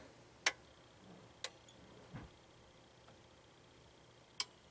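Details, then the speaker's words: Pioneer SX-1050 receiver, first power-up on a bulb limiter before restoration: one quiet click as the soft-start relay shunts out the resistor, then a second click as the protection relay engages; normal relay clicks, no shorts, panel lamps on. "you're going to hear one quiet click which is the the first relay that shunts out that resistor and then the second click that you hear is the protection circuit saying everything's okay"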